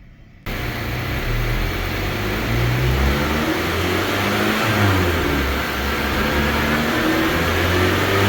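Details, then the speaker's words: 9th-gen Honda Civic Si, supercharged, at full-throttle pull: deep rising roar with no supercharger whine rising with it; car making only about 20 hp more than naturally aspirated, suspected boost problem, MAP sensor to be checked next. "so did you hear what happened in that little Dino pool go back and take a listen you don't hear a supercharger do you so right now the car is making about 20 more horsepower than what it would make all motor"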